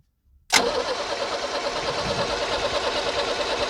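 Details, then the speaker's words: 1978 International Scout II with Nissan SD33 diesel, sitting over 20 years, one injector line cracked: steady, rapid starter cranking with no firing and no fuel spitting; injection pump, clogged filters or sticking rack suspected. "all right so we're not spitting any fuel so that means we're not getting fuel out of the fuel pump or when the filters are clogged or that rack inside isn't allowing it to fully engage"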